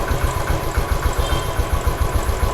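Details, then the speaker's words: Royal Enfield Standard 500 fuel-injected, bank angle sensor fault confirmed, sensor temporarily tapped into place, now running correctly with no other trouble; steady even thumping, no cutting out: normal idle. "ഇപ്പൊ correct ആയിട്ട് നിൽക്കുന്നുണ്ട് ഇപ്പൊ correct ആയിട്ട് നിൽക്കുന്നുണ്ട് വേറെ കുഴപ്പമൊന്നും ഇപ്പൊ"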